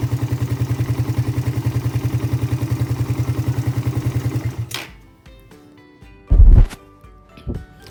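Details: Suzuki Satria FU carburetor motorcycle, automatic fuel tap vacuum hose kept dry with no pooled fuel: fires almost at once, settles into an even steady low beat, then shuts off; normal clean start with no long cranking.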